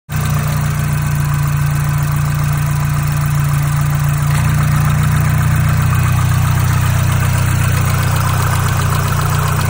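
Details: Mazdaspeed 3 petrol engine idling with a steady light tick, about four a second, behind the normal valve and injector chatter; the source is unknown.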